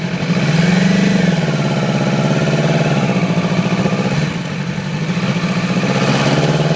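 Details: 2008 Yamaha R6 idling unevenly with a stumbling, lumpy cylinder misfire that started overnight; very little power at low rpm, sluggish at high rpm and freeway speeds; faulty ignition coil replaced, immediately back to normal.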